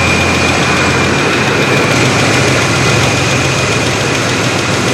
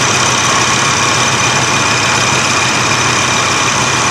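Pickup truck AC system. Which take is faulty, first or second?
first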